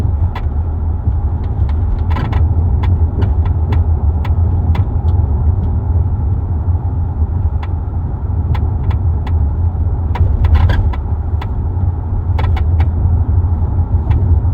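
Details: 2023 Kia Telluride in motion, unloaded, recorder in third-row driver-side pocket above armrest: irregular sharp creaks and ticks from rear cargo area over low road rumble, worsening over months; dealer could not find the cause.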